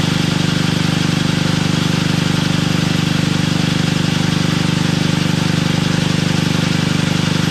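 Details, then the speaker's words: Toro 58-inch professional 3-gang reel riding mower after unseizing the blade PTO: loud, steady engine drone with an even, fast pulse and no knocks or grinding; runs normally with the reels turning. "Oh, yeah, it works."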